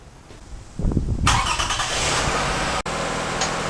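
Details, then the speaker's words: Used junkyard Toyota Sienna 3.3 L V6 just installed as replacement, first start: short crank, quick catch, then steady even idle with no knock or miss; runs well. "so the engine runs good sounds good okay that is a good part of it"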